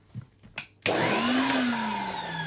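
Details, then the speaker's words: 1987 Numatic Henry HVC200 vacuum motor, just reassembled, spins up with a coarse, uneven whine that sags in pitch with a rough edge; runs horribly, owner suspects worn motor bearings, plans rebuild. "Ooh, that runs horrible. So, yeah. Right, we'll sort him out. It's probably bearings. That definitely sounds like bearings, that does."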